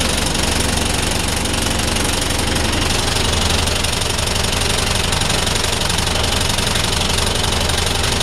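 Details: DAF SB220 East Lancs Mylennium bus diesel, stationary with a bad idle: a rough idle with a heavy, fairly regular bang about three times a second over the rumble; cause unknown.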